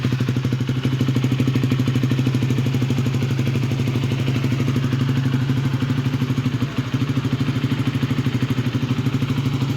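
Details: Honda Sonic 150R with Kawahara oil pump and BB Killer near-stock exhaust: steady, even single-cylinder idle with crisp exhaust beat and no ticking; sounds same cold and hot, pump cured the cold-start head tick.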